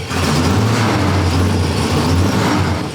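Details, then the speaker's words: Newly built supercharged small-block V8, first start at raised idle with timing light and laptop connected: deep rumble, a little lumpy and flat rather than crisp; ignition timing is off. "timing is off and something is sounds like it's dripping."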